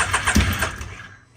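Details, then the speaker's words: Can-Am X3 turbo UTV after swap to a smaller FP Green turbo, MAP sensor changed: brief cranking with rough uneven firing that dies within a second; won't start, plugs found extremely black, suspected fouled plugs. "I pulled the plugs out of this thing and they are extremely black, so I'm pretty sure just knocked the plugs out of it."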